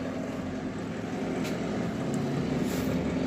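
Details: Microwave oven that was not heating, now drawing about 7 A versus 3 A before: steady low mains hum with even fan rush, no crackle or arcing; heating normally, technician concludes the magnetron was the faulty part.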